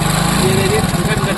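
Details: Hero Splendor single-cylinder motorcycle with timing chain noise and jerking on acceleration. A quick, light metallic "kit-kit" ticking sits over the idle and firms up on revs: a timing chain rattle.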